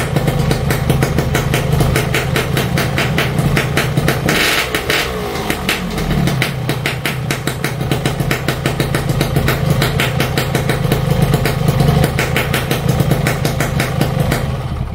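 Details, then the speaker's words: Yamaha RX King two-stroke after loose magneto (flywheel magnet) re-riveted; previously wobbled slightly and sounded rough: crisp, even idle with steady rapid beat, no roughness; normal idle after repair. "n teman-teman sudahah dengar ya suaranya beda jauh ya sama yang kemarin magnetnya goyang walaupun cuma sedikit"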